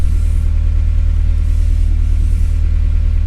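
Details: 1998-2002 Honda Accord after replacing failed fuel pump relay that caused crank-no-start: smooth even low idle rumble with steady beat, no stumbles or knocks; normal idle.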